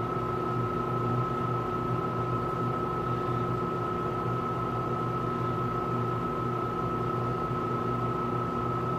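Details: Tenney Lunaire TUJR temperature chamber, after reaching 200 degree set point, cooling back to 20 °C: both compressors on, smooth even hum with steady mid tone, no knocks or rattles, running normally.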